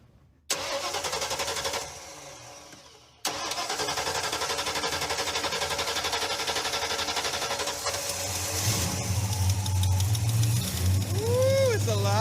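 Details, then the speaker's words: Car started by jumping wires with a multimeter, fuel line leaking badly: cranks, catches on second try, settles into strong even idle with clean throttle blip; engine sounds healthy despite faulty fuel line needing replacement. "Wow, that sounds all right."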